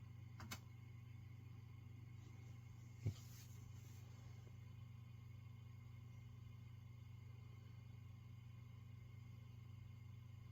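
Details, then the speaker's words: Peavey Classic 30 II valve amp after the hum repair and a new valve set, warmed up with the camera close to the speaker and no red plating. Only a faint steady hum with no crackle or buzz: normal, quiet idle. "So yeah, sounds good. Nice and quiet."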